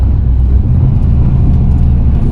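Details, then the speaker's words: Fox-body Mustang turbo GT40 build with replacement used Marketplace T5 manual transmission, first drive, clutch let out easy, light throttle: low road rumble with no gear whine, much quieter than the previous whining T5; normal transmission operation. "I'm letting the clutch out easy. All right, I don't hear any whiny whines. So that's a good start."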